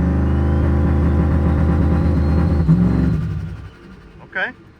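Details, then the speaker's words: Desperado with a new turbo setup, tune revised around 2900 rpm plus 100 rpm, roadside test: a strong, even rev that falls away smoothly after throttle lift and keeps running without stalling. Normal, no stall on throttle release. "that's a good start. didn't shut off when I let off the gas, but let's try again 30."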